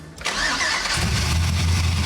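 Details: OBS Chevy C-1500 pro-touring build, first start of newly installed Engine Power V8 after fuel and wiring hookup: short crank, catches within a second and settles into a steady, deep V8 idle; fires up cleanly.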